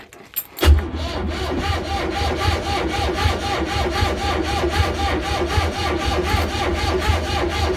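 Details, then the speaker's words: Old launch boat engine, not run for a month, on its starter battery: steady, sluggish chugging at about four to five turns a second without firing. Owner suspects the alternator isn't charging; slow cranking, cause not confirmed. "sound good I got a gut feeling my alternators not charging and I don't think this he is charging or that Caesar does this is my solar"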